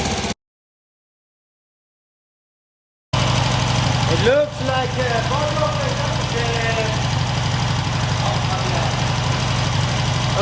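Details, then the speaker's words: Norton 88 Dominator twin after springs checked, new spark plug fitted and plug lead reconnected: steady, even idle at about three beats per second with no misses; both cylinders now firing cleanly. "so it looks like both are firing right now."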